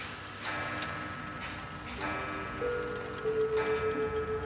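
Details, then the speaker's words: Antique chiming clock: the movement ticks while the tune keeps playing past where it should stop, because the chime stop lever never drops; the chime does not stop. "Là nó đờn hoài, nó đờn tới chừng nào mà tới khi mà nó qua tới đây nè, bạn coi nè, nó sẽ đờn tới đây. Tại vì nó sập xuống đây thì nó dừng, nhưng mà nó cũng không dừng. Ha, nó đờn hoài, nó không sập luôn."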